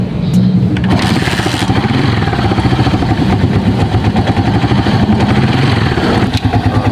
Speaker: normal na lang yung tunog na yan guys. Ganyan. Tining na yung kanyang andar guys dahil na-adjust na natin yung kanyang ah pve.